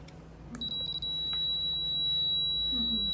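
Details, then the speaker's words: Kyoritsu digital clamp meter continuity buzzer test, compared against a Fluke: a thin high beep stutters briefly, then settles into a steady, quiet tone. The buzzer responds very slowly and weakly, judged bad. "Slow. Dekat sikit. Very slow. Very bad. Keiretsu bad. Buzzer tak bagus. Slow sangat."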